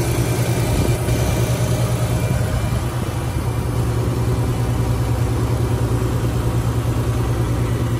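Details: Normal idle of a 2013 Lexus RX450h hybrid bought at a US auction as flood-damaged, with light collision damage; engine heard with the hood opened. Smooth, even low hum with a steady beat and no knocks, ticks or misses; the engine idles cleanly and evenly.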